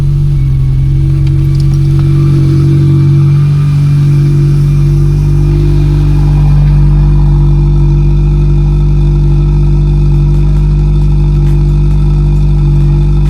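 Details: Car with rebuilt Pierburg 2E carburettor, new gaskets and cleaning: loud, even engine note holding steady with smooth pickup and no stumbles or jerks; normal idle and revving.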